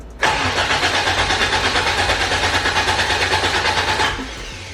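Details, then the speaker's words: Engine-swapped AE86 that did not start before, distributor re-stabbed: the starter cranks about three turns a second for four seconds and never catches. Crank, no start; suspected ignition timing a distributor tooth off. "this is cranking we are trying something new it did not start before and um i've re-pla re-stabbed the distributor hopefully it's on the right tooth this time"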